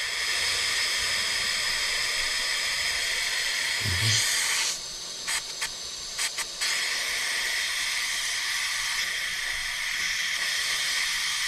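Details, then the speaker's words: Stuart 10V model steam engine on its first trial run on compressed air: steady loud hiss of air blowing straight through with no chuffing or rotation. The slide valve isn't seated, so the engine won't run. "it seems as if our slide valve isn't seated."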